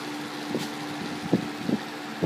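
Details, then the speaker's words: 2014 Kenmore 20-inch box fan with small pot-metal motor, on medium: steady motor hum with irregular scraping ticks every half second or so as the blades rub the grille; fan blade rubbing on grille, moving little air. "here's well here at the grill rubs the blades horribly cheap fan it's not really moving much of any year no a little bit quite irritating with that grill rubbing"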